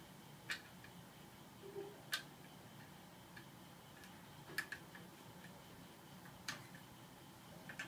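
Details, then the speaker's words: Boshijie 16" mini portable ceiling fan, rehung after oiling its noisy bearing: quiet hum with sharp irregular ticks every second or two, blades not tight enough; tightened without overtightening, then runs fine. "And what is that noise? Blades are not tight enough, I guess."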